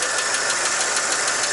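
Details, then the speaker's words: 1959 Chevrolet Apache 3100 pickup, first start after replacing 60+-year-old exhaust manifold gaskets for a bad manifold leak (cherry bomb muffler also replaced): it took a couple of tries, then settles into an even, smooth idle with no ticking or puffing while checked for leaks; normal idle. "took a couple of times but uh started right up i'm just gonna let it run for a while try to check for some leaks"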